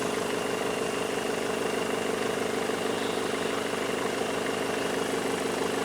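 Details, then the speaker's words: Mercedes CDI diesel converted into a Mercedes T1 camper van, warm at 60 degrees after 45 minutes ticking over, no dash faults: steady, even diesel clatter about three beats a second, no misses, knocks or roughness; normal idle. "Right, she's sat pinned at 60 degrees. It's been sat there ticking over 45 minutes."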